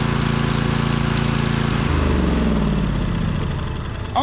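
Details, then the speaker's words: Briggs engine from a donor mower, test-run before being swapped into a Husqvarna Z246 zero-turn. It runs fairly steady, then sags and spits occasional pops. It is running slightly lean. "it runs really good considering but it is just slightly lean you hear it popping there every so"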